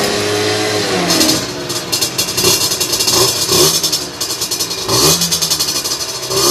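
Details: Two-stroke on a dyno bench with a 17.5 mm carburettor, after the air mixture screw was turned in to richen a too-lean mixture: holds a steady idle, snaps up cleanly on quick blips and drops back without stumbling. Clean idle, crisp throttle response.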